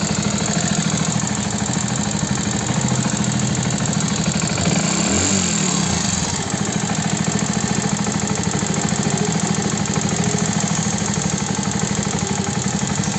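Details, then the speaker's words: Hero Passion Plus BS6 motorcycle at 13,454 km on an uneven single-cylinder idle: quick, sharp top-end ticking. It is attributed to loose rocker tappet clearance needing adjustment, not the timing chain as another mechanic claimed. "अब मुझे जो इसकी आवाज लग रही है ना वो है रॉकर की आवाज टाय फिट की आवाज इसकी जो टाय फिट है टाय फिट मुझे लगता है बहुत ज्यादा लूज हो गई इस वजह से इंजन में काफी ज्यादा आवाज आने लगी टक टक टक टक की"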